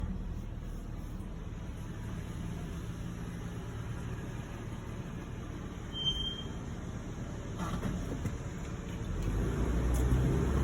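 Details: 2021 Toyota 4Runner TRD slowing to a stop: thin high-pitched brake squeal, occurring daily for the first 4-5 stops of the day; dealer could not replicate it.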